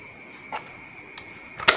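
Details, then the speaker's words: Honda Revo fuel-injected motorcycle, ignition switch wiring test with key on: faint steady high hum with a few sharp clicks as the fuel pump receives power and primes; normal fuel pump priming hum. "Oke injeksi dengung bisa didengar"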